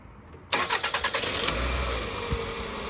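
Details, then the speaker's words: 2001 Toyota Highlander 2.4 four-cylinder with an extended-crank complaint after a fuel pump replacement: fuel pressure held about 45 psi after shutoff, then a few quick cranks, an immediate start and a steady, even idle. "Started right back up."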